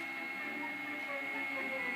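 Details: About 2004 iMac G5 with fans already cleaned and SMC reset, under iTunes visualizer load with the back off: constant airy whir with a steady high whistle from a hot area near the chimney; noise grows once closed up.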